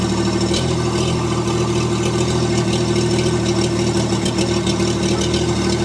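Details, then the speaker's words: STL1000 engine, new from the crate, at operating temperature around 2000–3150 RPM, under load and down a grade: uneven, stumbling misfire; ran this way since new despite a tank of fresh fuel. "Hear the missing and poorly running. There, we can put a load on. Clearly missing."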